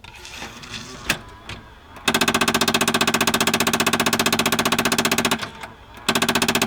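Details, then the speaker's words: Mazda Miata CD player: fast, even mechanical rattling in bursts a few seconds long with short gaps when CDs are inserted; the player also sometimes ejects discs randomly. "like my CD player makes this awful rattle when I put CDs in it, and sometimes it ejects the disc randomly."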